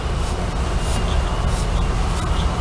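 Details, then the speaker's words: Whirlpool washer spinning after transmission teardown and replacement of the worn plastic cam parts that caused the spin noise: a steady low rumble with no knocking or grinding. The crown can't be stopped by hand, so the drive is engaging properly. "Aquí está exprimiendo Yo trato de frenar la corona y no soy capaz quiere decir"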